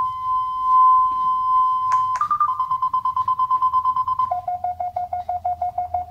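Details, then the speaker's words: FenSens wireless Bluetooth parking sensor approaching a wall: a steady tone breaks into beeps about three per second, dropping in pitch as the wall nears; the proximity warning works properly. "It's beeping, and when I get closer to my wall, thank you. It definitely works."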